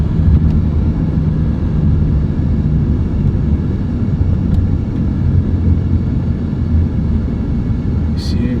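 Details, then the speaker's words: BMW E93 (E9X) driving around 40-60 mph: low steady pulsing buzz/vibration over road noise, from the front, persists off throttle, fades below 30 mph. "that buzzing sound kind of just died down after under 30. and then at very low speeds you don't hear it"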